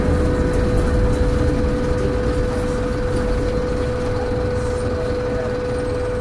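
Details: Stagecoach Cumbria Optare Solo bus 47020 (PO51 WLK) in service between Whitehaven and Workington, May 2015: a steady, pure mid-pitched hum holds over the diesel drone and road rumble while driving; a loud humming noise with its source unknown.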